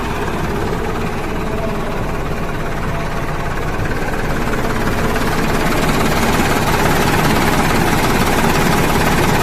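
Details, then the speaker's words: Mercedes-Benz OH 1526 bus diesel with a rough limping idle from start: an uneven beat, traced to a faulty MR engine control unit, to be replaced with a previously serviced spare MR. "mesinnya dan teman-teman ini ternyata suara minnya benar-benar bincang"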